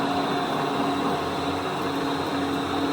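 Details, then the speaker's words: 1983 Clausing Colchester 12 geared-head lathe (13x40) with a Teco VFD, in gear BD at 100% speed, 210 RPM spindle, feed gearbox now engaged. Steady, smooth gear hum with constant mid tones, no knocking or grinding; normal gearbox operation. "I'll run it with it engaged, so you'll be able to hear it also. So now the feed gearbox is engaged."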